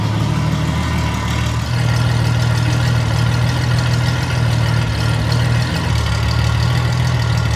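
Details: Derelict Honda Goldwing six-cylinder project, first fire-up after fitting a rescued exhaust collector (previously run on raucous open headers): smooth, deep, even drone at idle swelling cleanly on revs, no rasp, misfire or rattle; normal idle and revs.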